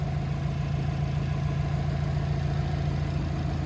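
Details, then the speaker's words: 2007 Subaru WRX swapped to an STi engine, which failed to start at first; after running at about 2500–3000 rpm for 15 minutes of break-in, steady, even low rumble with no knocks, misses or ticks; normal running. "so we ran it at like 25 3000 rpm for about 15 minutes to break it in and as you can hear right now it's running pretty"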